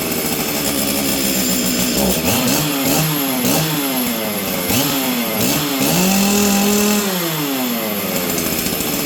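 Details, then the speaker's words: Stihl 044 Arctic chainsaw, cold, before repair: surges and sags every second or so, can't hold a steady pitch, runs poorly; owner suspects the ignition coil is dying; uneven running when cold. "okay friends so you guys can hear this thing's not running very good we're just going to jump right into it so first things first on the live stream a bunch of people were like sounds like the coil's dying I agree with you"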